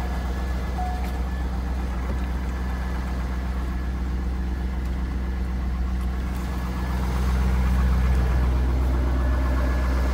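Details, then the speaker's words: 2003 Chevrolet Corvette C5 V8 first start after sitting over five years, running on old fuel with good fuel pressure; deep smooth steady idle, no ticking or knocking; normal, quiet engine. "Up and runs. Got good fuel pressure, and it sounds good. Nice quiet engine."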